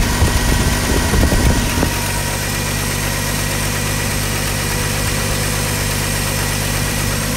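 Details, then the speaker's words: 1985 Ford F-150 with 300 straight-six, 240,000 miles, running after cam gear replacement: after a brief rev it drops into a smooth, steady low idle with no knocks or misses, a well broken-in engine; slight exhaust leak noted on exhaust side. "other than that sounds like a well broken in 300 to me"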